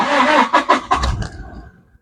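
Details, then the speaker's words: 2016 Toyota Hilux Revo Smart Cab 2.4 diesel, one owner: a few quick cranking beats, then it catches right away and settles to a steady, smooth idle. Normal easy start. "สตาร์ทติดง่ายนะครับผมแ[เพลง]อ่าอ่าฟังเสียงเครื่องยนต์นะครับผมเียนเครื่องนิ่งๆเลยนะครับผม"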